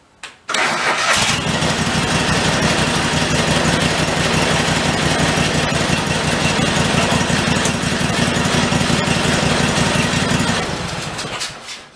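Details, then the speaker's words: 1991 Craftsman GT garden tractor with rodent-chewed air cleaner, drive wheel jacked up: cranks and catches, runs steadily about ten seconds, then dies abruptly as the seat safety switch cuts the engine; bypass needed. "still on i gotta bypass the seat safety he's not letting me do what i want to do"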